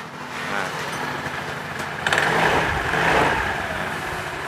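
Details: Yamaha Soul GT (54P) scooter after replacing a broken V-belt, started with the CVT cover off to seat the belt: catches and idles evenly with a smooth belt whir, no slap or squeal; normal idle.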